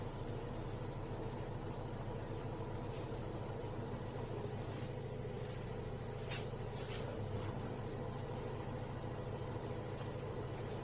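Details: LG direct-drive washing machine WD1239NDK (5 kg) after drum bearing and seal replacement with SKF bearings, running with a smooth, even low hum, light clicks, no rumble or jumping; running normally.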